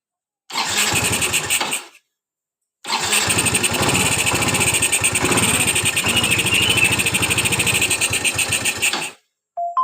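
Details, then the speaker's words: Yamaha Mio Z (Mio M3 125) injection scooter that stalls at low throttle, restarted after throttle body cleaning: fires and buzzes, but idle surges and fades, cutting out between tries; idle still not settled; unstable idle. "Kalau untuk hidup sih hidup ya, cuman langsamnya tinggal yang masih gitu loh."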